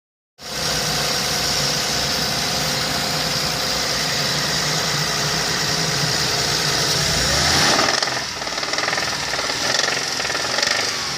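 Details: Hyundai Terracan with the 3.5 G6CU engine at idle and uneven revs: a faint, irregular metallic tapping inside the engine. The engine is being revived and the cause is undetermined.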